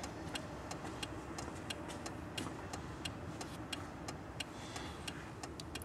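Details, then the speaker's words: Car turn signal previously flashing at varying speeds, fixed after contact corrosion was found and new connectors fitted on the trailer-control wiring: crisp, even tick-tock clicks at a brisk steady pace over low rumble; normal flasher rate restored. "ja wir wieder drin und hat die richtige geschwindigkeit"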